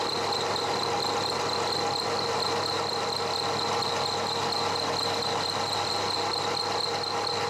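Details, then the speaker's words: One-inch slot drill milling cast iron, slowed from about 500 to 200 RPM: steady even cutting hiss with calm rhythmic pulse and no chatter; smooth milling cut. "that turned out better than I thought I'm running that now at 200 RPM seems to be happy with that"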